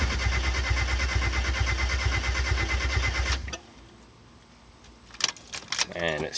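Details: 1991 Mazda Miata after new clutch, brand-new fuel pump (not heard priming) and suspected jumped timing, an injector found loose from the rail: fast, even cranking for three seconds with no firing, then a few clicks; crank no start.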